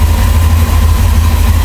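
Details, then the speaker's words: 1963 Chrysler Newport with a 361 V8 and points ignition, very first start after sitting for an unknown number of years: it fires without hesitating or stalling into a deep, even, quiet idle with a steady low burble and no knocks or misses. "Very first fire up. It's not even hesitating. It's not even stalling."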